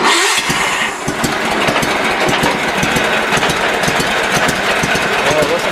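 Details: Sears Suburban SS16 snowblower, small engine cold-started in a garage around 17–18 degrees, battery just put on the charger: settles into a slow, steady idle with no misses or knocks; healthy idle.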